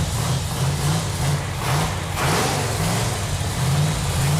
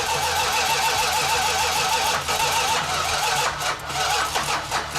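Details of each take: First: Chrysler 440 Six Pack V8 on an engine run stand, first run in about 40 years after fuel lines were tightened: deep, steady rumble with an even beat and no knocks or misses; normal healthy running. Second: Chrysler 440 Six Pack V8 (three two-barrel carbs), first run in 40 years after fuel lines were tightened: repeated slow cranking with uneven catches until it fires and stumbles into a rough run; hard start.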